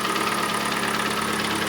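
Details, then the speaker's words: Kia Sportage 2.0 G4NA, 150,000 km, AWD, automatic: a rapid, hollow knocking over the idle that follows engine speed. Pistons are slapping in scored cylinders; the block is to be bored and oil jets installed. "поршня очень хорошо слышно. Стучат, бримчат."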